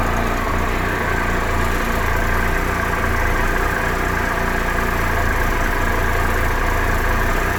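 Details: 2013 Triumph Tiger Explorer at 31,000 km, ticking when both cold and warm: a fast, light ticking rattle over the idle, a top-end tick with cause unconfirmed. The owner is having the dealer do the valves, hoping it's fixed.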